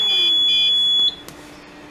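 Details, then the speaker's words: Home ventilator with added open-circuit alarm system: shrill high beeping for about a second as the ventilator is shut down, then silence; the alarm silences itself on shutdown, showing the failure. "I'll turn it off now alarm just turned itself off"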